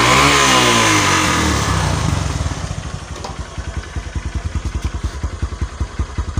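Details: Honda Megapro monoshock single-cylinder motorcycle after spark plug gap set and a 1.5 µF/400 V capacitor fitted: starter whirr, brief rev, then an even steady idle of about 158 beats a minute; sounds healthy.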